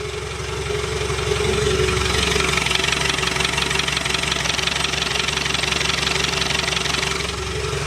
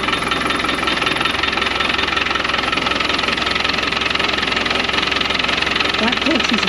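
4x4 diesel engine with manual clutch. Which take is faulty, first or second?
second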